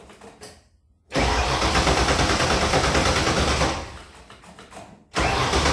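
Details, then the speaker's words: 1977 Mustang II engine, short block bought built about 10 years ago, never ran right since assembly, cause unknown; true cold start after sitting: catches after a pause, runs loud and uneven with surging and a dip, rough running and smoking. "so it'll start and run but it runs bad smokes um I'll start it up here for you in a little bit"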